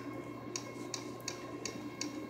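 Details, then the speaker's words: 1999–2002 Yamaha R6 that died while riding, starter removed and fuses good; starter relay clicks about three times a second over faint hum with no cranking; starter not getting power, owner suspects relay, starter or starter wire. "then uh you hit the start and you hear this starter relay going check the fuses they're good try the jumping thing you know between the two flathead wire nothing just get this"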